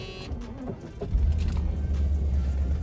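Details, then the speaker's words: Mercedes C126 after parts-cannon misfire repair (plugs, wires, cap, rotor, filters, ICV hoses), reassembled before a drive: short crank, catches at once, low even idle rumble with no stumble; clean, smooth start. "that was a better start so that's still smooth that's what we want"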